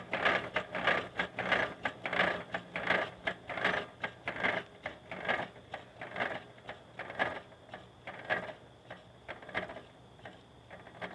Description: can anyone tell me why my bike is making that loud knocking sound please